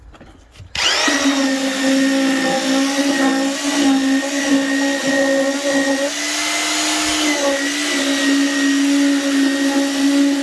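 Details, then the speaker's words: Cheapest eBay electric concrete vibrator with a flexible shaft, switched on: an abrupt, loud, steady high-pitched motor whine with slight dips. It runs normally; it sometimes stopped vibrating until its end was knocked on the ground. "i suppose i should turn on let you hear it oh that's the other thing it's loud as as well"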